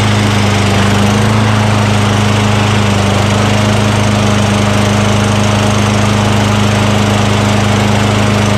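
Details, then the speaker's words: Craftsman 6.75 Tecumseh single-cylinder lawn mower with powerful rear-wheel self-propulsion, curbside trash find, running after priming intake with spray degreaser during oil sludge drain repair; steady even low hum, no misses, surges or knocks, normal running. "all right how about that huh from the curve to running and by the way this real rear self propulsion is very powerful i mean it really wants to take off on you"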